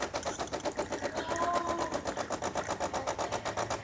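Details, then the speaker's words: DeLonghi Magnifica espresso machine after full service and tune-up, hot water function test: fast, even pump pulsing about four beats a second with steady buzz, no grinding; pump running normally. "Cool. Now we're going to test the hot water function."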